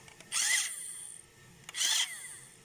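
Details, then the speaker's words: Radio-controlled toy car small motor after resoldering detached wires: two short clean bursts of high even whir under half a second each; spins up freely, normal run. "Все, работает. Ладно, все собираем, проверяем."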